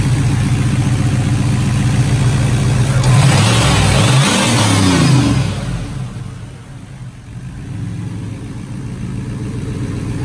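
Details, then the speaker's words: 1978 Pontiac Phoenix turbo petrol with loud Jegs muffler and resonator, back from a drive: engine revs briefly, then settles into a smooth, steady idle with no knocks or rattles; normal idle. "everything's sounds good everything's doing what it's supposed to be doing which is sounds nice our sounds good"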